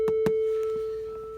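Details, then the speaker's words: Behringer synth fed MIDI from an MP's MIDI A out: a single steady mid-pitched tone drones unchanged under handling clicks. Decay, oscillators and switches have no effect, and it is silent when turned off. Stuck constant tone. "This is all I hear is this sound right here. When I turn this off, I hear nothing."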